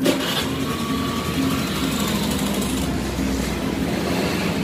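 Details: Carbureted Honda Beat scooter on its center stand: even putter at steady idle with no stumbling; it runs normally on the stand but dies when lowered to the ground.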